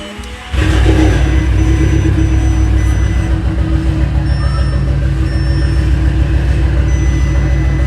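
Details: Audi S3 with a cylinder 3 misfire and a failed turbo, engine replacement needed: the engine catches and settles into a lumpy, uneven idle with an irregular stumble under music.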